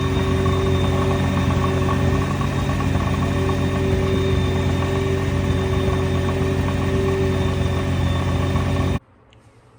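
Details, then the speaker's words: 2009 Nissan GT-R (early 09/10 model-year issue), idling at a stoplight: a light, fast metallic chatter over the steady engine hum, the notorious bellhousing rattle at the transaxle; not the worst example but clearly audible, also to passengers. "My Bellhouse Rattle, it's not as bad as some videos I've heard, but you can definitely hear it."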